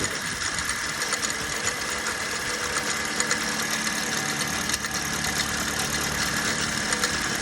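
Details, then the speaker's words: Toyota Yaris 1.33, 1NR-FE dual VVT-i engine, with both cam solenoids disconnected: light, fast metallic chatter over a steady idle, loudest up top. Mechanical fault suspected at the timing chain end. "even with it disconnected you can still hear ble so clearly there's a mechanical issue and it's going to be within that chain end"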